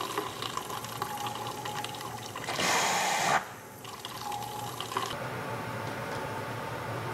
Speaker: the symptoms here are actually quite similar to when i close the boiler shutoff valve but notice the vibrating and hammering sound is much weaker and as the valve is slowly closed the overflow does not smooth out before fully braking